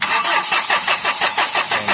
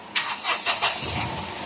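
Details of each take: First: Hyundai H100 CRDI diesel with low power, now won't start, fuel return pulled to check injectors: quick even cranking at four to five beats per second never catches; busted leaking injector causing hard starting. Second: Hyundai H100 CRDI diesel after replacing the busted number one injector: it catches cleanly on the first crank with no throttle and no backfire and settles into an even run. Before the repair it needed throttle and backfired hard.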